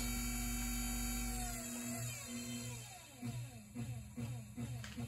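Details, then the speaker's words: Treadmill DC motor on an SCR speed controller driving a band saw, at lowest RPM unloaded: the whine sags, then throbs about 2.5 times a second. It smooths out at higher speed or under blade load. "It's set at the lowest RPM. See that pulsing? Really annoying. But we turn it up, smooths out, goes away."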